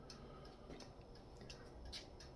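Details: 1951 Chevrolet Styleline Deluxe with a rebuilt Powerglide, rewired for 12 volts with new signal bulbs; turn signal and hazard flasher gives sharp, evenly spaced clicks about every half second; flasher working normally.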